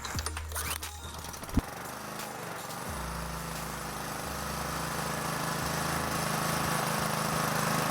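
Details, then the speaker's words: Honda GCV 160 small engine just after spark plug replacement (new plug, hand tight plus half turn, connector clicked on); pull start catches on the second try and settles into a smooth, even run, healthy. "Then you know it's good. And now we can start the engine again."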